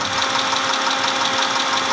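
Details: 2010 Mitsubishi Pajero, 6G74 V6, at idle: a rapid, light ticking knock over a steady idle with much top-end clatter; engine knocking, cause suspected but not confirmed.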